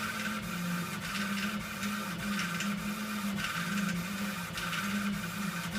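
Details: Rattle from an Epilog laser machine: low hum under the moving carriage with light clicks roughly every half second, and a loose rattle that tracks the head's travel.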